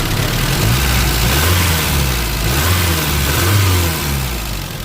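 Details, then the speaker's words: 1988 Isuzu Trooper 4x4, manual five-speed, revived after sitting for many years: engine revs up and settles with smooth, even firing, no knocks or misses, no blow-by or smoke; likely needs plug wires; runs healthy. "Sounding pretty good. Not even no blow by."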